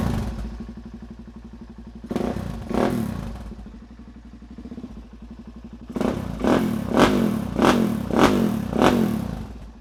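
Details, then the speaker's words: Suzuki DRZ400SM single fired up for the first time during restoration, with a little coolant on the header: steady thumping idle, then sharp clean blips that rise and fall freely. Normal running. "Oh, how I've missed that sound. My God."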